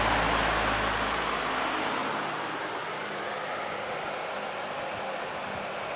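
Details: 1994 Lakewood HV18 fan on high: steady, even rush of air with no ticking, rattle or scraping as speed settles; clean-running, good difference between speeds.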